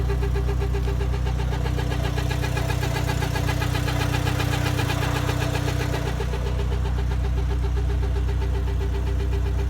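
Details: Mk6 Jetta 2.0 non-turbo petrol engine at cold start after sitting overnight: quick steady rhythmic ticking or chatter over low hum, lasting about 1 minute then going away; cause unknown.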